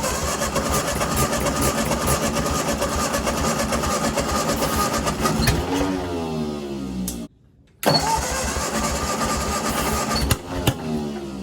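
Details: Ford 8N tractor, sat in weeds unrun for over five years, engine freed and a good coil fitted, first start: uneven, lumpy firing that stumbles and hunts instead of settling to a steady beat; rough running, with oil pressure present.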